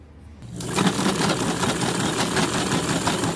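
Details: Vintage Kenmore 117.552 rotary sewing machine after replacing the friction/tension pulley that had a flat spot: the motor comes up to speed and holds a steady whirr with light mechanical chatter and no squeak. It is running normally.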